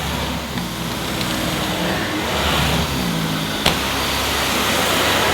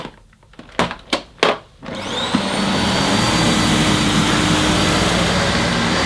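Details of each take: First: Dyson Ball Animal Multifloor vacuum: steady, even motor drone with constant pitch, no surging or rattle; running normally. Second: Dyson Ball Animal Multifloor on deep-pile Saxony carpet, most intense setting: handling thumps, then a loud steady roar with a strained, rough edge as the brush roll labours without cutting out.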